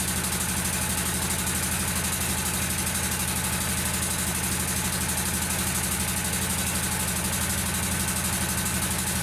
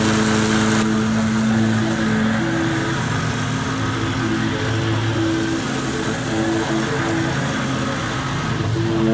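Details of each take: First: Kawasaki V-twin lawnmower engine with intermittent misfire: steady idle, pulses around three per second with a slightly uneven beat; intake manifold gasket vacuum leak found on one side, both gaskets to be replaced. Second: Kawasaki V-twin mower after replacing both intake manifold gaskets (it had misfired and bogged even after a new ignition coil): steady, even drone while mowing, no dips or bogging, running normally.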